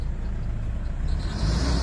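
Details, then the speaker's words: Toyota Innova D4D diesel that cranked but wouldn't start after a dog chewed the wiring; after the injector driver module was replaced, it starts with a steady, even diesel rumble that picks up slightly. Now running fine. "oh so umandar na Ayos na siya mga Sir ito yung pinalitan natin injector driver"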